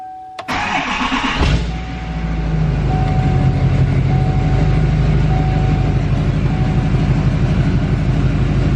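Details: 2020 Duramax L5P diesel truck with newly fitted Stealth 67 turbo, factory actuator transferred: brief crank, clean catch, steady even diesel idle with no knocks; normal start and idle.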